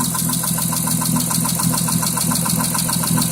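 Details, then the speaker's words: 2006 Mitsubishi Eclipse idling with a steady sharp knock about three to four times a second, starting right after an oil change with Royal Purple 5W-20 plus new cam and oxygen sensors; now sets a cylinder 5 misfire code, never present before. "Did an oil change yesterday, and this is the sound it's making."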